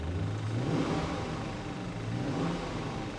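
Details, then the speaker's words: Chevrolet Tahoe WT work truck with V8, 235,000 miles, at Copart auction: smooth even rise and fall as the engine is blipped, no knocks or rattles; sounds healthy, normal revving. Check engine light on, fuel low. "sounds good air conditioning I'm not quite sure"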